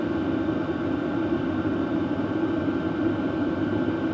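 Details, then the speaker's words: BougeRV portable diesel heater fired up on highest setting, measured about 63 dB, still reasonable; steady even hum with constant mid-pitched whir, no surging or ticking; running smoothly. "about 63 dB actually for the highest setting. That's still pretty reasonable."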